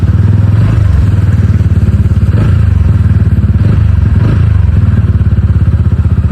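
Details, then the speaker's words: TVS Ronin 225 after its paid 3rd service: an even, steady single-cylinder thump with a regular firing beat and no knocks or rattles. Engine noise is gone and reduced; running normally. "Noise வந்து இப்ப வரல. ஒரு 10 km ஓட்டி பாப்போம். எப்படி இருக்குன்னு. Engine sound வந்து அவ்வளவா இல்ல இதுல இன்ஜின் சவுண்ட் ரெடியூஸ் ஆயிடுச்சு."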